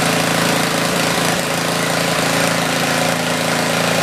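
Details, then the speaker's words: Tecumseh 4,000 W generator with 8 hp single-cylinder engine, sat about a year, with a small drill load and meter; steady, even run with busy rattly chatter, holding speed. Healthy running under load. "I decided to check the power output first, so let's do that. I have a drill plugged in and a meter."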